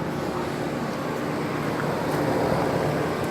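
Soft steady fan whoosh over a low compressor hum, even and unchanging with no rattles or buzz, a condenser running normally.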